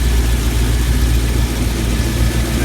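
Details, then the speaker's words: LS V8 in an old Blazer, cold, after swapping from 7.400 to shorter 7.350-inch pushrods (Elgin 1838P cam, Speed Pro lifters, 5W-30) to cure rocker noise: smooth, even low rumble, faint injector ticking, no rocker clatter; normal idle. "What's going on, but it sounds quiet. Like the rocker arms are, you know, to me I can hear the injectors more than I can hear the rocker arms, but like I said, it's not warmed up yet,"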